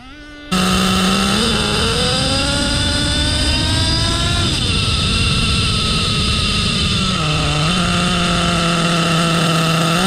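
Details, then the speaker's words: HPI Savage X4.6 nitro RC truck with optional 3-speed transmission, full-throttle top-speed run: engine revs up and holds one pitch, small torque blip at bottom, no shifting, apparently stuck in 3rd gear; shift point adjustable via external set screw. "Motor-wise, it's running great. Definitely no gear shifting at all. I would say that's probably 3rd gear. Yeah, no gear shifting. We're gearless, baby."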